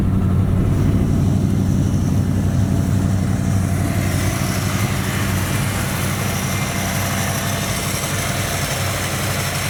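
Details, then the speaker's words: 1972 Dodge D100 with 318 V8, sitting 13 years in a junkyard, first run on starting fluid then fuel from a jug: deep steady V8 burble, even firing, no knocks or misses; smooth normal idle. "there's no question the engines good so right now let's just see if we can make the thing idle and pull out of here"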